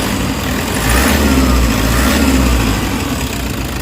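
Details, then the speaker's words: Toyota Hiace with throttle delay, low power on climbs, occasional stalling, code P0093: steady idle rumble, revs climb slowly and lazily when blipped; sluggish throttle response, cause not confirmed. "Pag ginanyan mo, low power siya. Total delay, you know? Total delay, oh. Pwede mo kayo. Ay, very, throttle delay, guys. Low power."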